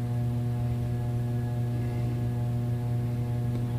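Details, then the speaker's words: Hunter Stratford II 44-inch ceiling fan, about 2008, running on medium. Steady low 60-cycle electrical hum with a faint buzz, blamed on a capacitor needing replacement. "obviously the capacitor needs replaced so I shall do that when I get time that's why you hear the 60 cycle hum that's emitting"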